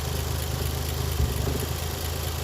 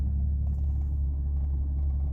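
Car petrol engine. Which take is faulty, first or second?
first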